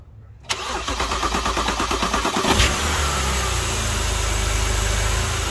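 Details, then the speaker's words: BMW E90 started after power steering pump replacement and fluid bleeding: quick cranking catches cleanly and settles into a smooth, steady idle with no pump whine. It sounds much better; normal start and idle. "oh that already sounds so much better but it's about time one thing went right"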